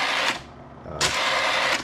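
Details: Bell & Howell Slide Cube RF60 projector: three evenly spaced mechanical clacks as each slide shifts and drops into the holder. The slide advance mechanism is cycling normally.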